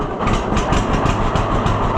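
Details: Old two-cylinder tractor ("Freddie the Fiat"), cold start, probably in the 20s°F, with choke, running well since the upside-down magneto was corrected. Slow, even putt at idle, firing cleanly without misses. Normal idle.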